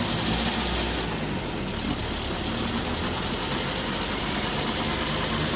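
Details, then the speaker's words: Toyota Innova test drive in third gear after over-adjusted rear drum brakes were loosened and shoe linings sanded: steady engine drone and road rumble, listening at the backplate, no scraping or rubbing; brakes run free. "Yeah, pinapakinggan ko yung ingay eh. Yung backplate. Hop! Huwag naman masyadong sobra sa bilis. Yung pinapakinggan ko lang yung backplate kung sumasayad."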